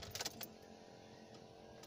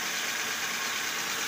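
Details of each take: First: Toyota at start-up: loud, high-pitched shrieking squeal rising over the engine, possibly from a dry pulley bearing and worn, too-thin belt; belts drive the steering pump and water pump; bearing and belt to be checked. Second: Toyota engine idling after the belt-area noise on first start was fixed by repacking the bearing and resetting the fan belt: steady even engine-bay hiss with no squeal, chirp or grinding.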